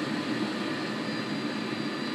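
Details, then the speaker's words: Webasto heater switched off by an STC-1000 thermostat after heating a water tank, with the water pump still circulating. An even, steady blower rush with a soft hum and no stumbles is its normal shutdown cycle. "the bar so shut down will go for a short the temperature slightly which is normal this is a passive stove okey and it the pumps still pumping water through it the cools down"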